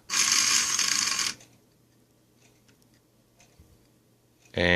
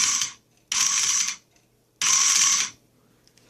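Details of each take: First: Driver-side throttle actuator from a 1995 Mercedes SL600, before repair, on bench power: loud harsh buzz in two bursts with near-silence between, motor won't turn; seized motor, plus degraded wiring insulation. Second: Throttle actuator from a 1995 Mercedes SL600, before repair, passenger-side motor on bench supply raised to 14 volts: short high-pitched whirring bursts about half a second each as the motor spins fast and freely.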